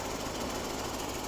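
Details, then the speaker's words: 1967 Lincoln Continental convertible V8 idling after ignition coil replacement: fast, busy puff-ticking over the exhaust note; exhaust manifold gasket leak, left unrepaired. "as you can hear we definitely have an exhaust manifold leak we are not going to do that today"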